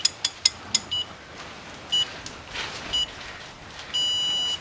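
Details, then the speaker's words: Ford EcoSport/Fiesta/Focus 1.0 turbo engine, timing belt and oil pump job, crank bolt torque-to-angle: four quick sharp high beeps, then single chirps and one longer tone; angle gauge beeping. "let's get this out of the way now this thing will beep so I don't have to worry about it"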